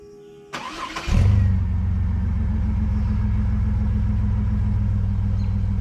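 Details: Chevy S10 work truck, just after welding in a new 18-inch 409 stainless Total Flow muffler: starter cranks briefly, catches and settles into steady, deep, even idle with smooth low rumble; normal idle.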